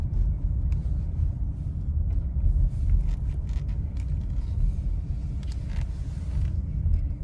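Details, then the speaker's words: Nissan Rogue with newly replaced engine, road test over the same parking-lot bumps after the sway bar link found not fully tight against the strut was addressed: low road rumble, no clunks or knocks; front suspension quiet, knocking gone. "Sounds pretty quiet to me."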